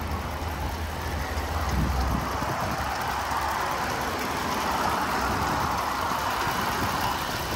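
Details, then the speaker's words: 2018 Dodge Ram 1500 Big Horn 4x4 Crew Cab idling warm after a test drive, with temperature a little higher; steady even idle with no knocks, misses or hunting, and the scanner check seems decent. Normal idle. "all right y'all back sounds good i mean the temperature is a little a little higher now"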